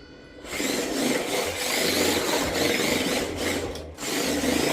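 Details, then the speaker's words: New LDRC 1804 Mazda MX5 Miata mini RC drift car fresh out of box: fast whirring gear drive in short bursts with light creaky, squeaky edge; creak goes away after break-in. Drivetrain creak and squeak. "This one has a little creakiness to it too, just like every single one I got out the box. They creak like this, make a little bit of a squeaky noise, but it goes away when they break in."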